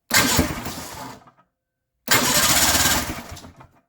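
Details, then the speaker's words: Polaris snowmobile two-stroke after new fuel pump fitted, plugs only hand tight, spark present; two short raspy bursts each dying within a second, ran better with one carb; stator suspected but not confirmed: rough start and stalling. "All right, start it up again, see what happens. It ran better with only one carb. Good God."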